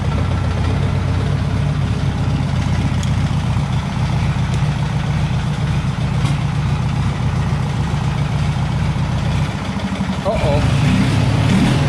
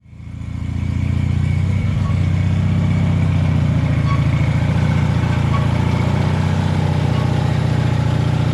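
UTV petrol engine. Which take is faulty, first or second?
second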